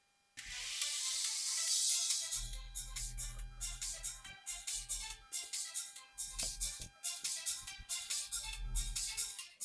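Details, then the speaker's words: KRK Rokit 5 studio monitor, cheap used unit, powered and playing music; thin tinny sound with only tweeter working, woofer silent; dead woofer, tweeter only. "As you can hear, only tweeter working and low woofer is silent. This one is dead."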